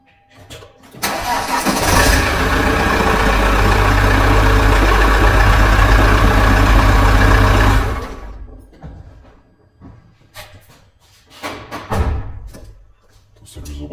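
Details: Car with a 4-year-old battery that barely cranked after a −11 °C night, started after regeneration with a CTEK MXS 5.0 charger (12.63 V): brisk one-second crank, engine catches at once and runs evenly.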